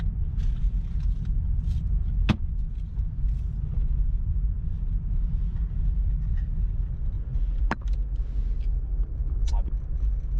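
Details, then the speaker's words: Nissan Cedric driving on the road after fan belt adjustment: sharp metallic ticks every few seconds over steady road rumble; loose metal rattling inside the glove box. "metal hitting that i know it's coming from that glove box"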